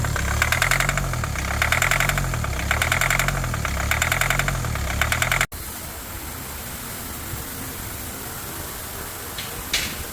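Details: 2020 Kia Sportage at startup: a rough, uneven idle with a rapid tapping knock of about three to four per second and a lumpy shake. The engine is knocking and running rough, cause unknown; the engine was later disassembled.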